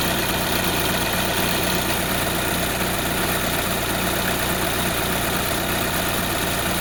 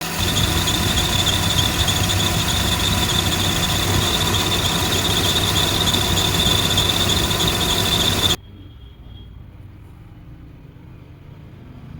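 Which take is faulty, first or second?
second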